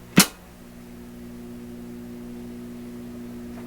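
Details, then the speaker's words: PYE Columbia Stereo 360 amplifier after switch-on click, on reduced power: steady low buzzing mains hum in the output, unchanged after the selenium rectifier replacement; owner expects hum to grow at full power. "I'm sure if I kick this up to full power, diodes are going to get hotter, transformer's going to get hotter, hum's going to get louder."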